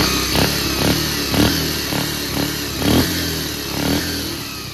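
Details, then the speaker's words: Bajaj Pulsar 150 after carburettor repair (problem solved): crisp, even throttle blips about twice a second, picking up cleanly with no stumble or hesitation; normal healthy revving. "देख पा रहे हो friends जो problem जो है वो solve हो चुका है"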